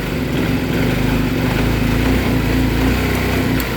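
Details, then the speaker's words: Yamaha Mio M3 scooter with spark plug fitted, idling fine but stuttering and failing to pick up under throttle, bogging and misfiring with no power; cause turned out to be a faulty ECU. "ya teman-teman ngempos tidak bertenaga nah nah gasnya kosong ya"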